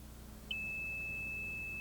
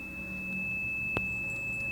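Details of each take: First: Old water level indicator lowered into 40 feet of Geoprobe rod during SP22-ISP groundwater sampling: quiet, then a sudden steady high-pitched beep holds as the probe touches about two inches of fluid at the rod bottom. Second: so this is our old water level indicator here and probably as you can hear it beeps when we hit the water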